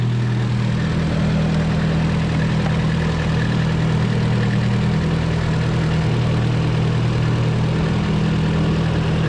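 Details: 240 idling right after start to check a newly installed oil temp sensor for leaks; none seen, and the sensor reads. Smooth, even low idle with a steady drone and no knocks or misses; the engine is settled and running fine.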